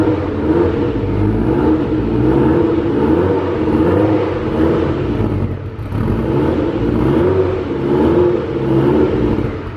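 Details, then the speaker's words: Fresh 2.0 20v turbo stroker in VW T4 Transporter with 02M 6-speed, brief first run with light revs to bed rings and check leaks: steady mid-pitched drone, gentle rises in revs, no knocks or ticks; normal running. "So yeah, this moment here, we're just going to start it up for about 15-20 seconds. Just make sure there are no leaks. Give it a bit of cylinder pressure with a couple of revs."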